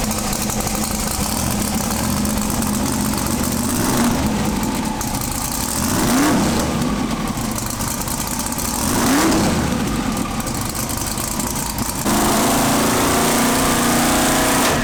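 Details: Twin-turbo big-block Pro Mod drag car's first fire-up after 2.5 years sitting: loud, choppy, uneven lope with stumbles between throttle blips, acting rich; one cylinder dead from injectors plugged by methanol left in them for 2 years.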